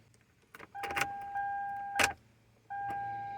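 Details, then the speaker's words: Toyota Camry Solara 2.4: the key is turned, warning chimes ring and there is a faint click, but the engine never cranks. It is an intermittent no-crank that sometimes starts; starter or ignition switch suspected. "Oops, nothing. Nothing. See, it's giving an intermittent problem. Sometimes it starts, sometimes it doesn't."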